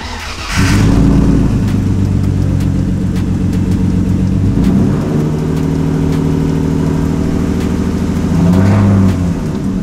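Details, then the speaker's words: Straight-piped BMW E36 328i M52 inline-six starts and idles unevenly with an irregular stumble, like one cylinder missing; misfire, owner suspects the coil packs or cylinder six, which has had a problem before. "so yeah and yeah there's still a bus so we're gonna check if it's the coil packs"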